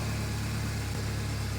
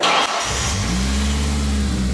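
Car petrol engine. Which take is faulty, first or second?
second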